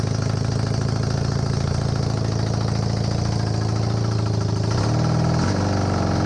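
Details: Honda CB250N Superdream twin project bike with new spark plugs, on partial choke. An even, low idle holds steady, then rises slightly with a blip near the end, running smoothly and cleanly. Normal idle; large oil leak at the engine front.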